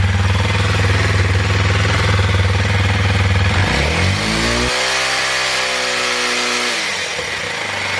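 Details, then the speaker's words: 2021 Kawasaki KLX 230 single cylinder after battery replacement: steady even idle with firm low thump, revs and settles cleanly. Normal running; charging voltage 14.2 V, stator good. "all right turn on good first try let me just say this just in case you can't hear me over the bike"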